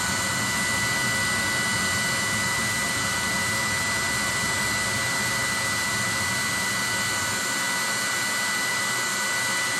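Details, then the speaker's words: 30,000 BTU/hr multi-fuel fuel-fired personal cab heater, control box flipped from run to off: metering-valve clicking stops and the blower purges until it quits, an even rush with a faint fixed whistle; normal shutdown purge. "You'll hear that fuel metering valve right there stop clicking, and the motor will blow out until it quits."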